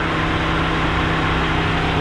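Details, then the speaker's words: Gen 2 Ford Raptor just back from the dealer after both cam phasers were replaced: smooth quiet idle with no ticking or rattle; the engine runs cleanly and evenly. "is back running everything sounds good nice and quiet"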